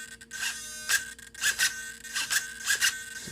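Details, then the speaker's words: Solar D770 low-profile digital metal-gear servo in a car with big tires. Short, sharp bursts of high motor whine, loud but smooth, each snapping back to center quickly with no chatter; normal fast centering. "it's very quick very smooth loud but smooth a lot of people have commented on how good these servos are at centering"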